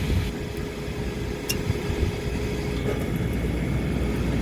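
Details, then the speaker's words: Old Trane gas package unit, no-heat lockout call with rusted igniter mount, negative-pressure gas valve at about -0.1 in. water column: steady low rumble settling into even roar, no bangs or puffs; normal burner ignition. "a nice smooth fire negative 0.1"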